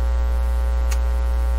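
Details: Canadian General Electric C701 console record player: a constant deep electrical hum with faint crackle, with no rhythm or change, getting into the phono audio. Suspected grounding issue. Mains hum.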